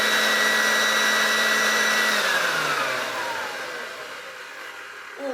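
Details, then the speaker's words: Hoover Junior 1334 vacuum after restoration, motor reassembled and run without belt, a homemade rear bearing having been found and suspected of causing earlier awful noise: steady even high whine, no rattle or grind, smooth spin-down; sounds healthy. "doesn't that sound nice, especially compared to how it sounded before?"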